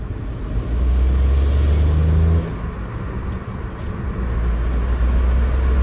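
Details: 2015 Škoda Fabia 3 1.0 MPI at idle, clutch released: low rattling drone comes and goes, vanishing with clutch pressed; stiff worn release bearing, cured by replacing clutch and bearing; clutch release bearing rattle.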